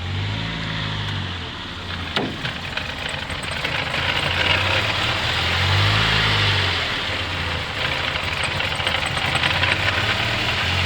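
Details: Mercedes 200TE petrol engine idles roughly, its note swelling and sagging every few seconds under a light, quick clatter. It sometimes stalls when shifted into reverse or drive.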